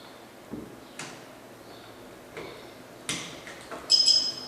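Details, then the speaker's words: Anti-theft security tag for notebooks: a few plastic clicks as the pin seats into the base stuck on the laptop, then a short high chirp showing the tag is locked and armed. "Ela fez esse barulhinho, então ela está armada."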